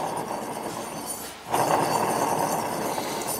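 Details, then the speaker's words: Hustler Z mower with 72-inch XR7 deck, deck idler pulley spun by hand: gritty, uneven rumble that continues while coasting, with play in the pulley; idler bearing worn out. "this one's definitely bad so we've so far we've found two bearings one's a little iffy and this one we know is bad"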